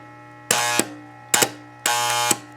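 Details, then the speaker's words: Chicago Electric ~125 A flux-core welder converted to DC, repaired after burning up, power bypassed straight to transformer: steady low mains hum with short buzzy bursts, no crackle; transformer working. "it appears to be working I'm going to get a voltage reading on this and just kind of see what the open circuit voltage is and go from there"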